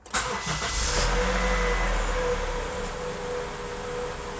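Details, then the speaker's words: Honda CR-V RD1 with no-start/stalling fault, original main relay swapped for facelift version (part RZ0159 vs RZ0132): brief crank, then it catches immediately and settles into a smooth steady idle; starts normally, either relay works. "Yeah. Everything seems normal. Well, looks like it doesn't really matter what version of the relay you use."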